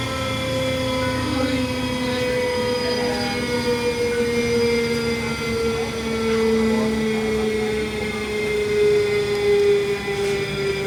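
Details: Continental-Girbau washer-extractor drum spinning down: a falling whine over a rough, gritty, thunderous roar from worn drum bearings; the electric braking restart sped the drum up instead, as excess drag stopped it early; hand-spun drum barely scrapes along; motor done.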